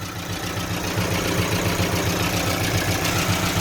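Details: Evotech 2.7 engine (gas-petrol) at idle: steady idle with a regular light knock, roughly three to four per second, riding over the engine; hydraulic lifter suspected, cause not confirmed.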